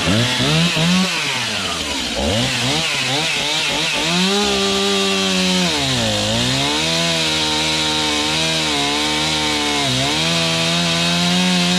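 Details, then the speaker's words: Serviced Stihl MS291 chainsaw with 20-inch bar cutting a roughly 12-inch log; its strong high whine dips as the chain bites, then recovers cleanly without bogging. Normal running under load, high/low carb adjustment may be tweaked later. "she eats pretty nice something we'll probably Tinker with you know high and low carb adjustment"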